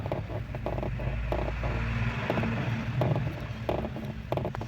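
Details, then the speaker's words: Steering gearbox (setor de direção) pried with a screwdriver at idle: short dry creaks, one or two a second, over a low hum; fault is the installation, box set too far back and rubbing against surrounding parts behind. "Ou seja, o defeito tá na instalação, tá? Porque tá muito recuado para para pro buraco aqui onde saiu o setor aqui, ó. E ele tá pegando aqui atrás aqui, ó."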